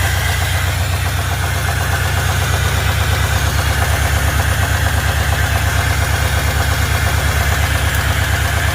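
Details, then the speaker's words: Ford Fairlane V8 after engine install, earlier noise cured by fixing a worn distributor gear mismatch; steady even deep idle held high, as low as the poor carburetor allows, no knock or tick; owner suspects stuck thermostat, running hot. "oh all right well you guys you heard it uh actually runs pretty dark good um that's about as low as I can get the idle on it though without it it'll it'll die out"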